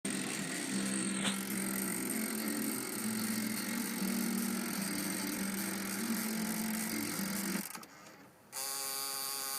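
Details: Car cassette player making a rough whirring grind, likened to a starter lacking power, broken by a stretch of steady tape music; grinding cassette mechanism.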